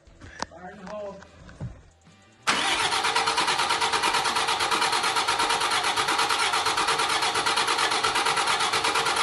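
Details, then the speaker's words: Freshly rebuilt 5.9 Cummins diesel in a Megacab, first start: after some handling noise it catches and settles into a steady, even clatter with no thud. It runs much better after loose rocker arms were corrected and everything is getting oil. "that sounds better no more St everything's getting oil all right as you guys saw uh she's now running way better just had some rocker arms that were too loose"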